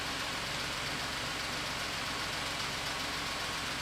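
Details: 2017 Ford F-150 3.5L EcoBoost, freshly swapped engine with new low and high pressure fuel system, first start: light quick ticking over smooth idle, possibly new lash adjusters pumping up or high pressure fuel pump.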